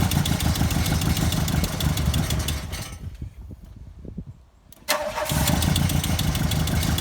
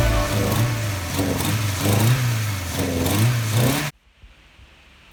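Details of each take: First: MK2 Golf 16v race car bought as a running project; uneven, lumpy idle with irregular beats, nearly dying before picking up, seeming to run on two or three cylinders and cutting out on throttle: misfire, rough idle. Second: MK2 Golf 16-valve track car after fixing its misfire (it had idled on two or three cylinders and cut out on throttle; timing well out, loose bolts): engine pulls up cleanly through throttle blips without cutting out, now running on all four.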